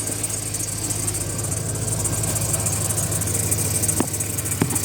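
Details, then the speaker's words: 2004 Chevrolet Silverado idling: a worn A/C belt tensioner pulley bearing makes a rough, hissy rattle over a steady low hum. The main serpentine tensioner was replaced earlier, and replacing this bearing is the planned fix. "there he is that little arm right there with the uh tensioner uh arm that that pulley on there is bad making all that racket"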